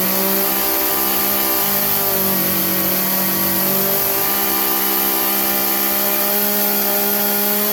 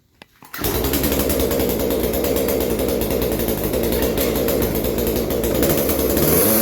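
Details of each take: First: Craftsman chainsaw that bogged under load, after turning the carburettor high-speed jet about three-quarters of a turn clockwise: steady, even high-revving two-stroke scream with no bogging or surging; holds full speed cleanly. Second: Craftsman chainsaw that bogs under minimal load, briefly warmed after a cold start, before carburettor adjustment: ragged, uneven buzz that won't reach full speed and creeps at the top; running lean, high-speed jet needs opening for more fuel.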